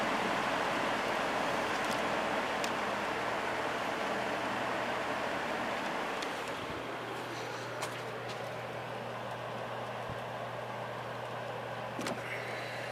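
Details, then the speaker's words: Air King 9218 fan after a back cover repair, with all speeds working, started on high. Smooth, steady rush of air over a faint motor hum, with no knocking or grinding. Normal running on high speed. "all speeds are working so let's go ahead and start it up on high"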